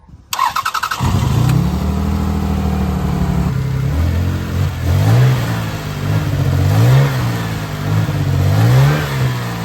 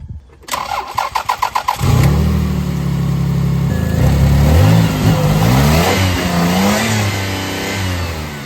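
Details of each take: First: Toyota Highlander with 157,000 miles and a cylinder 6 misfire: the starter cranks, the engine catches, then it idles very rough with an uneven, surging beat. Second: Toyota Highlander V6 after a new ignition coil was fitted to cure a misfire: starter cranks briefly, engine catches cleanly and settles into an even, steady idle; no misfires felt, normal start and smooth idle.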